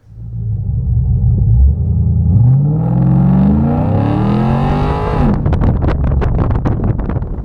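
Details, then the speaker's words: 2002 Camaro SS V8: revs climb, then a rapid rattling, clunking chatter breaks out only under wheelspin during a burnout, not when the tires are hooked up. The rear end looked fine and new universal joints did not help; the source is unknown. "when it's hooked up it doesn't make any noise it just seems to do it whenever it's uh whenever we're doing the burnout"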